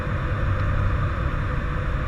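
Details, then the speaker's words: ATR 72-600 on approach, gear coming down at a 140-knot target speed; the nose gear sits under the pedestal, so air rushes into the nose gear well: a steady, low rushing roar, normal gear-down airflow noise. "you hear the noise from the landing gear when it's coming down the nose gear is under the pedestal close to the pro levers so you can hear the air rushing into the well of the nose gear"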